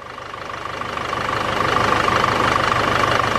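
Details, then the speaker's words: Cheap Range Rover Evoque diesel, after replacing noisy auxiliary belt tensioner (timing chain feared): even idle with steady beat and faint constant whistle, no rattle; noise gone, normal idle. "oh my God it's as Qui as a mouse oh my God it's as quiet as a mouse it's as quiet listen to that it was that tension listen to how smooth it is"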